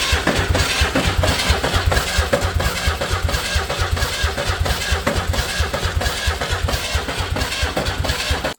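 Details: Old Ford 300 inline-6 truck engine after new pushrod and mechanical fuel pump install: starter turns it over with a regular chugging beat that never catches; cranks without firing, no spark because ignition wires aren't hooked up.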